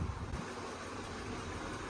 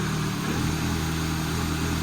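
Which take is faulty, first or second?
first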